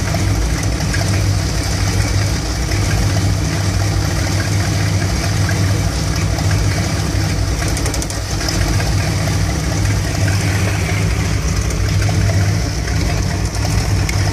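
Steady low V8 idle with an irregular, loping pulse and occasional stumbles through the run; warm engine idling rough.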